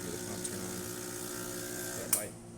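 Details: Expobar Office espresso machine after its control board connector was replaced: the pump hums steadily, then clicks off; normal pump operation, verified after service.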